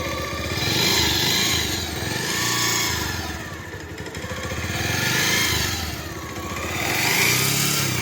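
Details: Bajaj Pulsar 150 single-cylinder bike blipped up and down in smooth, even swells with no knocks or rattles; sounds healthy and running clean, normal revving.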